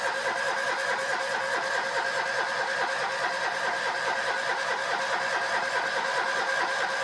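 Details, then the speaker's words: Citroën 2CV that refused to start the day before in about 35 °C heat, retried on a much cooler day. It catches and settles into a steady, even idle with a light regular beat; running normally once cooler. "this car refused to start I didn't labor it too much because I didn't want to run the battery flat but I'll try it again now now that it's much cooler today"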